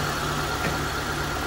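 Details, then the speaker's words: Mitsubishi Lancer "pizza" petrol engine after refresh, following overheating from burst radiator, blown head gasket and rusted bypass tube; new radiator, bypass tube replaced. Steady, even idle with smooth low hum, no stumble or miss; previous misfire gone, normal idle. "Pinong-pino na. Palyado ko nung nakaraan, di ba? Ayan. Swabe na ulit ang sasakyan ni Boss."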